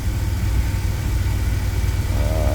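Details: 2000 Chevy Astro V6 at idle with zero misfires and no red or orange live data; it had an intermittent crank-no-start and stalling, with the crankshaft position sensor indicated, and the transmission slips. Low, steady, even rumble with no misses, knocks or surging.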